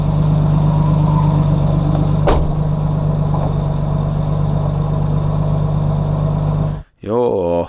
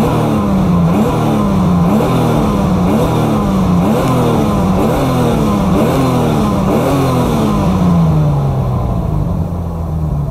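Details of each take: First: BMW E30 with turbocharged M52 at a track day, idling after being pushed harder: light quick tick about three per second over the hum, lifters ticking loudly; oil dripped on downpipe. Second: BMW E30 turbo M52, after a day's cooling following track-day lifter tick: repeated clean quick blips about every second, no top-end ticking, rev happy; owner suspects low oil and G-forces drew air into the oil pump and lifters.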